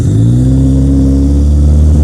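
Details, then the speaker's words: Austin Ambassador, first start after 26 years abandoned, with ignition timing set far advanced: even, steady note swelling smoothly with revs, no knocks or misses; normal running, though top-end oil pressure loss and possible knock soon followed. "Listen to that, man, it's silk!"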